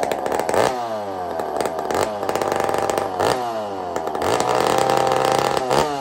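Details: Two-stroke chainsaw fitted with an aftermarket muffler (taken off a 66) during a muffler test, still cold: loud uneven choppy blips with stumbles, spluttering and smoking a bit until it warms up.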